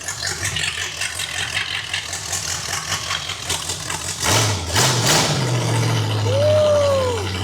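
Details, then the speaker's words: Used $1,500 Pontiac 455 V8, first start after priming the oil system and re-stabbing the HEI distributor: rumbles unevenly at first, then a quick rev into a steady healthy run; starter sounds bad; normal running. "Man, we got a ripper. That one sounds really good. Wow, that far exceeded my expectations on how this car was gonna sound."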